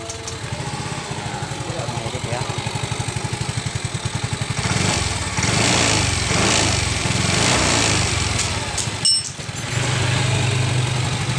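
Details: Yamaha FreeGo scooter that would not start (totally dead ECU) after fitting a new ECU: even quick putter at idle, picks up smoothly when blipped and settles back without missing; normal running.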